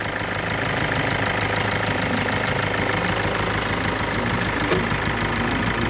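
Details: Kia Sportage 2.0 CRDi diesel at idle: light, fast ticking over the clatter, steady with engine speed, from failing hydraulic tappets (valve lifters).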